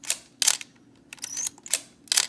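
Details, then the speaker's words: Pentax K1000 with its top cover off; the camera works but fires with sharp shutter clacks and a loud, thin, high squeal. The shutter squeals when it fires, cause unknown. "it works fine it's got a pretty loud squeal there I don't know if you can hear it"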